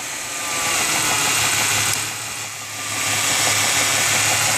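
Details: 1995 Ford Mustang 3.8L V6 idling: knock under idle, louder with cylinder 6 plug wire unplugged; no knock when cold or under load to 2000 rpm, knocks at idle and when revved; cause unknown.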